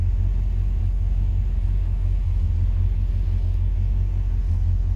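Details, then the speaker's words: 1963 Falcon, turbo 2.3L (144 cu in), aftermarket throttle body: low, steady idle rumble with no stumbles, hunting or surges, not fully warm at about 172–178°F, ECU in closed-loop learning. Idle now running much better, balancing IAC (target 6–10%) against throttle blade opening. "well i got running a lot better i can get the idle down it's a tough balance though between getting the idle air control motor i think they want between like six and ten percent"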